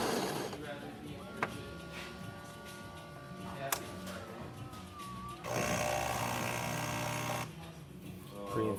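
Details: Saeco espresso machine after replacing the grinder and brew group, fixing a grinder that was not grinding coffee properly: a steady mechanical whir, then even, coarse grinding, normal operation.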